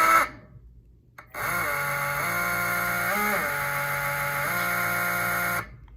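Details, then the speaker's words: E-bike hub motor on a controller, trying phase/hall wire combination number 3 at light throttle. The motor runs but gives a loud, harsh buzzing whine that shifts with throttle, so this combination is wrong. "See, that's not good. It appears to be running, but it's too loud, and that's not good."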